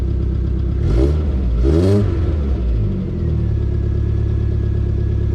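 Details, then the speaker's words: GM 2.2 non-Ecotec (Sunfire) after timing chain and crank sensor replacement, fresh oil; low idle with two quick revs, uneven flutter underneath suggesting a misfire; owner suspects a bent valve, compression check pending; rough running flutter. "Sounds like it's still got a little bit of a flutter. So, may have a little bit of a bent valve."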